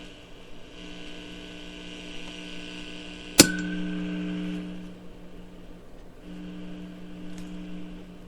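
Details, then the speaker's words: Restored Heathkit T-3 tube signal tracer with Carlson modification and cleaned tubes, on high gain side with control turned: only a steady low mains hum and one sharp click, no crackling or popping; normal mains hum. "No matter how much I turn that, we ain't got the crackling and the popping going on."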